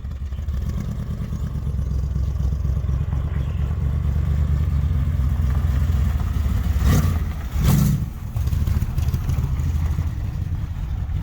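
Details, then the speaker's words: Vintage street machine first start after carburettor and fuel line work, no choke; low, uneven, loping idle that sags and nearly stumbles, with black smoke, mixture running rich. "It's a little rich. Little black smoke. Little What a rich. That's rich."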